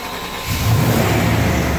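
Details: 1998 Chevy 1500, 5.7 Vortec 350, at operating temperature, fuel pressure regulator already replaced: cranks, catches and climbs into a rough rising rev clearing a flooded warm start; bad spider injection suspected.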